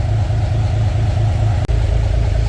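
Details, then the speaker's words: Narrow-gauge Bombardier with a freshly installed, hopefully fully rebuilt engine, after a thermostat and gasket change for high running temperature; in park; deep, smooth, even beat, no knocks or rattles; normal running. "sounds really good dad is really hoping that this engine was completely 110% rebuilt uh before uh he installed it"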